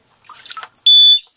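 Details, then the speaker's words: Watchdog water leak alarm dangled near a backup sump pump: after a splash it gives a loud, steady high-pitched beep of about a third of a second as water reaches it, so it triggers as it should; water leak alarm sounding. "So we'll just dangle this in here, and then if the water ever gets too high, we'll be alarmed."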